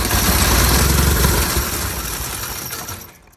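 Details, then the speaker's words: Onan CCK horizontal-twin engine on a homemade tractor, after fitting a starter/generator, filter changed and lines flushed: catches and chugs, then dies within three seconds running only on carburetor fuel; the fuel pump isn't drawing from the tank and is judged bad. "All right, uh fuel pump is just not pumping enough fuel. This is the fuel pump right here."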